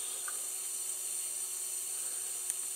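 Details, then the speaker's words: MFJ-4275MV power supply with voltage raised from 8 to 16 V: a faint steady high hiss with a thin whine and odd crackle; its electrolytic capacitors are frazzled. "so um they're definitely um frazzled definitely so i'm gonna get a price on new capacitors for this thing tomorrow"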